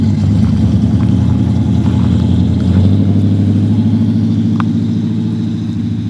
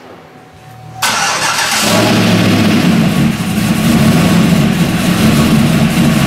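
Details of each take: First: LS V8 truck on first road drive after a Yella Terra roller rocker, LS7 lifter and LS9 head gasket install: smooth, deep, steady drone under light load, no knocks, ticks or rattles; successful initial run. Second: LS V8 first start after installing LS7 roller lifters, Yella Terra roller rockers and LS9 head gaskets: brief crank, then fast idle with light rapid ticking over the rumble from lifters not fully pumped up; hoped to quiet down.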